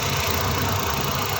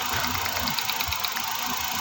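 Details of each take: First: Suzuki DA64 with K6A engine after a cylinder 1 misfire check-engine code traced to leaking ignition current and repaired: even, steady idle with a smooth low hum and no stumble or skipped beats. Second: Suzuki DA64 with K6A engine, check engine light for cylinder 1 misfire, idling: with one ignition coil unplugged the idle turns uneven with a dull thump about twice a second, showing that coil works.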